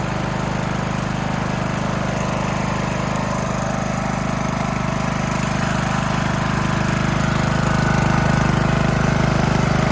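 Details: Craftsman LT2000 mower single-cylinder engine after new air filter, run directly off a battery: even, regular chug with no surging or hunting; runs cleanly and healthy.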